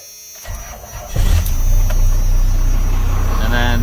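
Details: 1st-gen Cummins diesel truck after a PCM capacitor repair for a no-charge fault, started once the grid heaters cycled: the starter churns about a second, then it catches cleanly into a steady, even idle clatter; healthy start.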